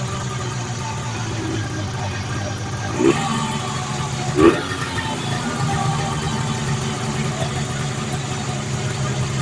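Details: 1980 Arctic Cat Jag 3000 fan-cooled two-stroke snowmobile that sat for years on old gas, on a track stand in 90-degree heat: steady idle with brief throttle blips that pick up cleanly; running fine.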